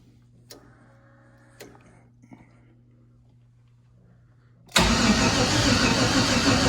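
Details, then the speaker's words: Junkyard LS (L33) with turbo, on five-month-old methanol, first fire attempt: after a few clicks the starter grinds over slowly and laboriously without catching; battery too weak to spin it properly. "Okay, so the battery is not as good as anticipated."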